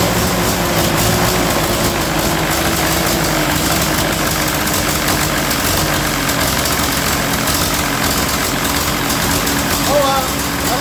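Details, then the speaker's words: Ferguson TEA20 tractor engine after valve adjustment, engine in poor shape: rough uneven idle with raspy puffing chuff; massive exhaust leak on one side, exhaust manifold gasket suspected, manifold to be removed. "I've got a massive exhaust leak over on this side. I gotta take the manifold off and see what's going on with the gasket."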